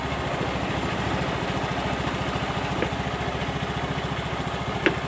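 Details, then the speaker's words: Yamaha Mio M3 125 scooter idling after the CVT was reassembled (rattle blamed on missing CVT grease): an even, quick putter at a steady pace with no knocking or rattle, running smoothly. "Oke. Oke. Halus ya bunyinya ya. Mantap ya."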